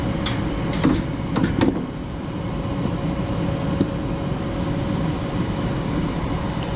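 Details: Furnace after installation restarting its heat cycle once the limit switch signals the board, with the inducer motor just on. A few clicks and clunks as it lights, then a steady, even roar with a faint constant tone: normal burner operation.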